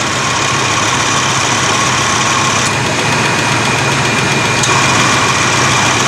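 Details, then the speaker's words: 1987 Chevy S10 at idle after replacing the accumulator/dryer and orifice tube and fixing an O-ring that stopped a fitting from seating. An even whir over the engine as the AC compressor kicks on and stays engaged, with no clatter. Compressor running normally. "Right, so the compressor's kicking on and staying on now."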